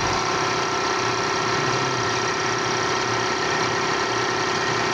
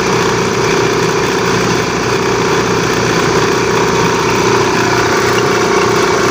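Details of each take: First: Air compressor after repair (new gasket, oil changed, motor bearings checked OK, belt replaced): steady, even running with a smooth constant hum and no knocks or slapping; noise fixed by belt replacement. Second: Air compressor at first start: loud steady running with rough rumbling chatter and drive squeal, noise fading after a while; worn drive belt slipping on the motor pulley.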